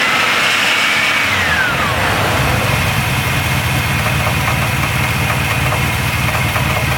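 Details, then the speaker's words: Long-stored engine with an Edelbrock carb on stale E10 ethanol gas, before cleaning: a loud, uneven, loping idle with stumbles and a knock-like sound; the clogged primaries and possibly clogged air bleeds are starving the idle circuit. "let's get this thing running yeah it looks like the primaries are clogged up with something"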